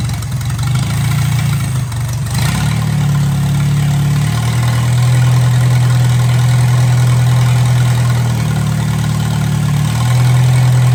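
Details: 1957 Hercules Power flathead four-cylinder with magneto, no coolant in it, radiator steaming, not hot yet: steady, even low putter at idle after brief catch, no knocks or stumbles; runs pretty good, normal idle.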